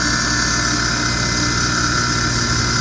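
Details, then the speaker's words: Amada 1 hp punch and die tool grinder on 230 V three-phase power, coolant pump switched on first and then the wheel: an even, steady motor whir at constant pitch with no knocks or grinding; normal running. "So that's your coolant pump, and then we'll turn on the wheel right there."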